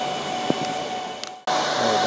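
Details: Dell PowerEdge R730 server during Windows Server 2022 setup, before fans are quieted in iDRAC: steady loud fan roar with a constant whistle-like tone, fans running at full speed.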